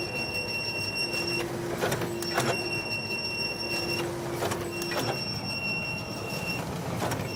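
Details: Konica Minolta FS-527 copier finisher running: loud abnormal noise, high whining tones, mid hum and irregular loud clacks every second or two.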